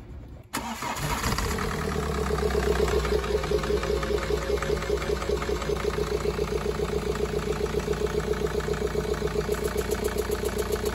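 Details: 2013 BMW 520d diesel at about 180,000, towed in with heavy blow-by: fires up and idles with an uneven loping beat, two to three pulses a second. Misfire, suspected cracked piston; other shops diagnosed engine boring or turbo replacement.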